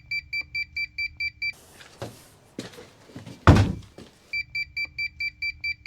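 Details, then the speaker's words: Polar UV water treatment system controller: rapid high-pitched beeping about four times a second, an alarm that keeps sounding during a UV bulb service because the unit believes it is still not fixed. "So that beeping means that I've been sold a set of handcuffs. That beeping is the sound of my right to repair slowly slipping out of my grasp."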